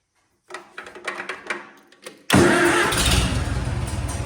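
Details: Farmall M tractor with a new reproduction muffler replacing one blown out at the bottom: a few clicks, then it catches and settles into an even putter of about four beats a second; healthy idle.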